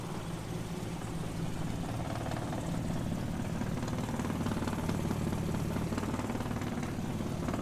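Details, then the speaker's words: 1936 Plymouth roadster idling rough during pre-purchase inspection, hood just closed: uneven idle with a fast, light tinny buzz about four a second; hood panel shaking and rattling, mostly left side, stops with slight pressure. "So I just closed the hood, but I did notice in closing it, right, because it's running kind of rough, you can hear you can see the shakiness in the panel, and you can hear the rattling."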